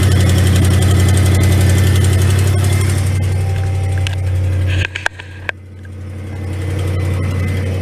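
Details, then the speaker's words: 2006 Chevy 1500 4.8L Vortec V8, 180,000 miles, idling after start-up with quick steady ticking about four per second; exhaust leak, owner suspects broken manifold bolts. "as y'all can hear it's got a bit of exhaust leak but it drives good shifts good"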